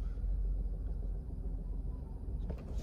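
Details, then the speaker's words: 2010 Lincoln Town Car Executive L, 4.6 L V8 flex fuel, about 374,000 miles, with a bouncing 500–700 rpm idle: quiet idle hum then a sharp driveline clunk when shifted from park into reverse or drive; cause not yet pinned down. "so there's some minor clunking from Reverse drive as a park so if I drop it in a freaking reverse you can care gonna hear a little bit of the clunking in the background"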